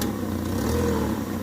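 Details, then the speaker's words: Fiat Fiorino 1.3 8v Fire brought in for noise and starting diagnosis, idling: light, fast ticking clatter over the hum with a faint exhaust puff; exhaust leak noted, source of front noise unconfirmed. "Quero descobrir que é esse barulho aqui, ó."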